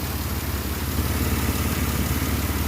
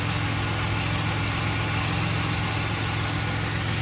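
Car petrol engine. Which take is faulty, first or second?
second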